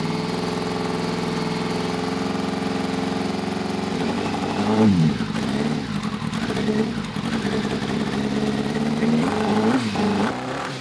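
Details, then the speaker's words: Unfinished buggy with 600 cc motorbike engine, first start on choke after sitting, possibly needing a tune or missing pipes: catches and settles into an uneven, lumpy idle with wavering revs and flames from exhaust; rough running, cause unconfirmed. "Definitely running a bit lumpy but it sounds good."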